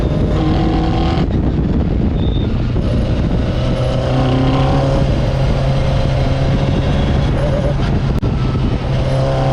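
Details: Fisher Spyder with Arden 8-port alloy head after repair: block and head TIG welded and scraped flat, new MLS gasket replacing failed composite; strong steady engine drone outdoors at even pitch, no knocks or misfires; car ran perfectly at Forrestburn Hillclimb.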